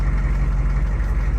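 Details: 2004 Hummer H1 6.5 turbo diesel idling just after a start with a new PMD and heatsink fitted following PMD failure: deep, steady rumble, even with no stumble or knock. Normal, healthy idle.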